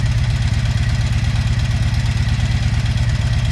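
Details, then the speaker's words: 1983 Honda V45 Sabre VF750S V4 at idle: light rapid ticking evenly timed with engine speed over the idle, higher than owner's 82 Magna; owner suspects a valve adjustment is needed, unconfirmed. "tick sounds a little higher than my 82 magnus so maybe i need to do a valve adjustment"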